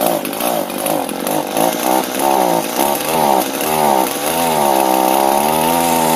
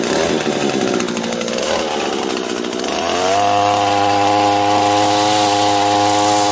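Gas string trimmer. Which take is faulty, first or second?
first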